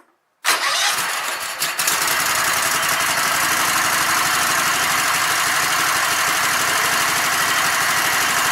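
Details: Sears Craftsman Kohler Commander engine with its no-spark fault fixed by reconnecting the red wire to the spark module; air cleaner off. Brief cranking, then it catches and settles into a steady, even run with no misses; normal running.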